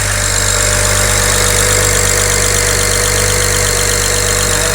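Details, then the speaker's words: BMW 335i idling as it warms up, after the disconnected number 6 injector is plugged back in: a light, quick tick around 160 a minute under the engine noise, getting quieter as it warms. Traced to injector 6, far louder than these normally loud injectors. "can you hear that ticking it's getting less quiet or less loud now because the engine's warming up"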